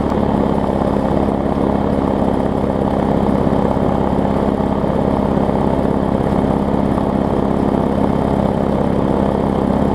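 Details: Bolens/Murray push mower, small single-cylinder engine, first start: smooth, even drone with steady low hum, no misses or knocks; runs healthy.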